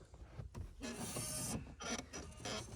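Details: Ford Focus 1.6 clutch pedal giving creaky rubbing squeaks in bursts when pushed down and let up; fixed by spraying it with WD-40/silicone spray.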